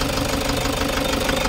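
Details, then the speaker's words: Toyota HiAce 3.0 diesel, check-engine light on, strong engine vibration: lumpy uneven idle with heavy shaking knock in the beat; injectors checked as suspected cause, no broken wiring. "sobrang lakas daw ng vibration ng kanyang makina ito yung iche-check natin ngayon mga bossing kung ano naging problema nito"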